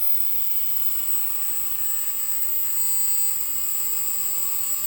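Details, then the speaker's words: Ozone dielectric cell on a test box at full power, about 7600 Hz and 420 W: a steady, piercing high tone over an even hiss, with stable frequency and wattage and no arcing. Normal cell at full power. "all right i'm up to full power i'm at 7 600 hertz 420 watts now this cell might need to be first a little bit longer but that's a normal cell you get stable frequency and a stable wattage up around 400 watts"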